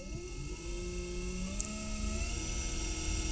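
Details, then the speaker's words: EV hypE electric conversion kit propulsion motor in electric reverse at full throttle: smooth clean whine climbs then holds steady at a program-limited capped speed, no roughness; normal electric motor whine. "As you can see, I can give full throttle and it won't go any faster because it's limited."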